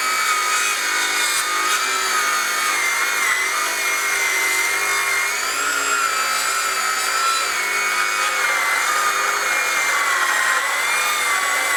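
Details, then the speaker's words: Craftsman V20 brushless 7-1/4" circular saw CMCS550B, another full-depth cut in treated lumber, battery warm at 2 bars: steady high cutting whine sags in pitch midway as a clogged dust port loads the saw down; blade heating. "So again, the amount of dust from that dust port plugging up in this full cut and treated lumber slowed me down at about right here."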